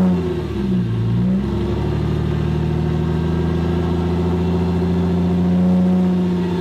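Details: 1998 Porsche Boxster after an engine swap, on a cold start: the revs dip and surge early, then settle to a wavering idle that never quite holds steady. This idle hunting is traced to a dirty MAF sensor.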